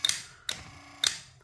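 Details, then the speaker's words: 1968 Cadillac Sedan DeVille power seat on the bench, 12V battery and ground clamp: switch actuated, three crisp relay clicks about half a second apart with a faint motor hum; seat switch, relays and motor working normally. "and we'll go ahead and actuate the switch and you can hear hear everything clicking and working and it works in all of my"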